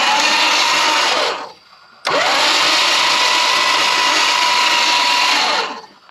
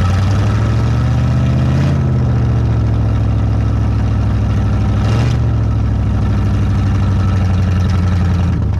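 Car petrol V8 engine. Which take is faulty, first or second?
first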